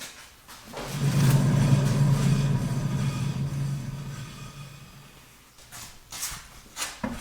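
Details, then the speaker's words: Hand-spun left rear wheel bearing in a spin test, no play felt on shaking: a loud, low, rough growl that fades as the wheel slows. Confirmed bad bearing, to be replaced to cure the driving noise. "so you should be able to hear that bearing it's quite loud and very growly this is obviously the bad wheel bearing"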